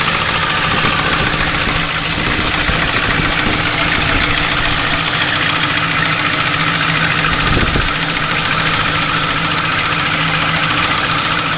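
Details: Ford Crown Victoria V8 at idle after new heads, cams and all-new timing parts were installed: an uneven light tick or knock about three to four per second over the hum. The source is not pinned down and the cause is unconfirmed.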